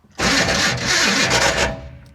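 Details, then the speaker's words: Maserati, restarted after resting, cranks about a second and a half with a steady whir but never catches, then winds down; it ran briefly but won't stay running. Owner suspects the starter needs replacing or isn't shimmed right. "obviously she's not wanting to stay running"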